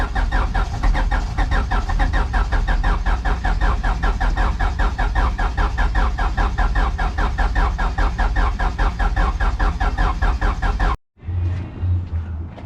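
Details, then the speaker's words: Turbo H2B-swapped car, distributor installed, started off a battery jumper: even starter cranking at a steady beat for about eleven seconds that never catches; crank no start. "oh my god it's gonna start oh why why why won't it start oh my god it's almost"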